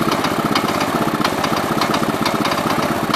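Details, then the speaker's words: 1969 Gravely 432 single-cylinder engine, due for a rebuild, running rough with uneven thumping and sharp irregular knocks. Owner thinks the replacement carb, with worn throttle shaft bushings and play, is making it worse. "this motor sounds pretty bad. I think it would sound better if it had a different carb on it. This is that carb that has a bunch of play in the throttle shaft, so it's not helping matters."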